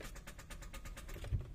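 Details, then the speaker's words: 2013 Kia Picanto automatic, check engine light, battery 11.7 V, ECU now reading with no fault codes: on start, quick light clicks about eight a second, engine never turns over; mechanic finds the engine will not rotate, seized. "Ang kaso mo hindi na maikot 'yung makina."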